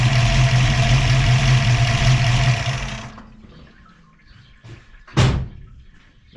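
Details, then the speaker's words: Ford 302 V8 with Autolite 4100/2100 carburetor and Bronco idle-up solenoid plus vacuum valve, vacuum line reconnected, A/C on: steady, even raised idle from about 600 rpm, then goes quiet. "Now, let me reconnect the vacuum line. Watch again. Idle up."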